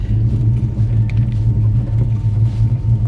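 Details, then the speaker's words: 1940 Chevy Coupe bought at auction, automatic put in drive and pulling off gently, low on fuel: deep steady rumble, even pulses, no ticking, knocking or stumbling; normal running under light load. "all right let's put it in Drive I think that's Drive yeah that's drive all right listen I listen to that bad engine man she sounds good"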